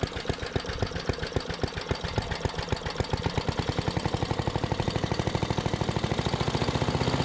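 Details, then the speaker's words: 1973 Giant Vac walk-behind leaf blower with Briggs and Stratton single-cylinder engine, revived from scrapyard: thumping climbs in speed but levels off early; owner doesn't think it reaches full throttle while blowing a small pile. Cause unconfirmed; air deflector still needs welding. "I'd say that made pretty light work of uh making a pretty small pile but I still don't think it's getting up to full throttle"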